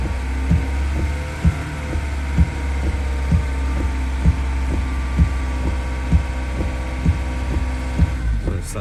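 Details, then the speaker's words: Ford Transit Custom mk7 diesel idling during alternator load test with headlights and wipers on: steady low drone with soft thump about once a second; even idle under electrical load, charging normal. "you can test what the alternator is doing load test you just put a lot of the headlights on wipers on"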